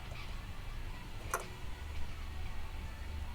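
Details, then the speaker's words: JVM410H amp with burning smell and no signal, standby switch off but output valve plates still at 513 V for silent recording; low hum from the speaker broken by a sharp crackling pop and faint scattered ticks. "You can still hear the crackling from the speaker."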